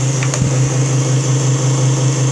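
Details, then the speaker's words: Newly installed fuel transfer pump on first run, valve opened, pumping fuel back into the other side of the tank; steady low electric whir, no surging or rattle; running normally and delivering fuel. "Woohoo! That may be turbo pumping. Look at that. You see it? That's delivering fuel."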